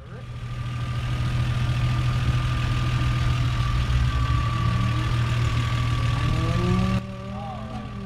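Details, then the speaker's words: Toyota Supra Mk3 7MGE with turbo conversion, still on the old distributor ignition before switching to IS300 coil packs; steady low idle, even rumble with faint high tone, no misses or knocks: normal idle. "My 7mge turbo conversion is switching out its distributor ignition to use colon plugs this is how my old setup was running with a"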